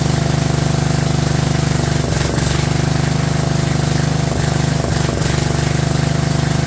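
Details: Abandoned 2004 Murray lawn tractor, Briggs 12.5 HP OHV single, first run: steady chug with occasional stumbles and dips, loping and flooded from over-choking; flooding cause later fixed and carburetor adjusted.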